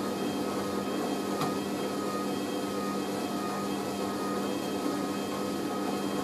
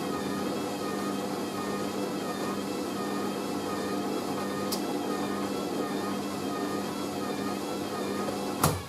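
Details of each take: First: Hoover A3060 Electronic 1100 washing machine on Minimum Iron 50ºC with Bio Prewash and slow spin, after redistribution, during spin: steady motor hum with constant tone, no thumping or banging; drum spins smooth and balanced, a normal spin. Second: Hoover A3060 Electronic 1100 washing machine on Minimum Iron 50ºC with Bio Prewash, going into spin; steady motor whir with a slowly wavering tone as the spin builds, load sounds unbalanced in the drum, suspected not confirmed.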